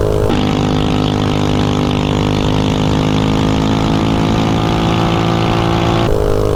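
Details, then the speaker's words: DuroMax 208 mini bike with VM22 Mikuni carb and 115 main jet, riding at wide-open throttle near top speed: high steady buzz with no stumbling or popping, easing off near the end; runs snappy, plug check still to confirm if lean. "definitely nice and snappy with this gear ratio so it seems like it runs pretty decent with a 115 Main"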